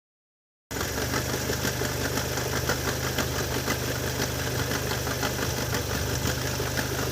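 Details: Opel Vectra C, Z20NET engine: strange engine noise, an uneven knocking roughly three times a second at steady idle over a low hum; cause unclear.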